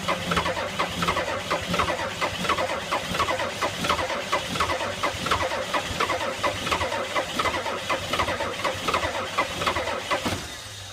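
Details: 1985 Ford F-250 6.9 IDI naturally aspirated diesel in about -34 extreme cold: slow, labouring crank at roughly one and a half pulses a second that never catches, then stops; cranks but won't start.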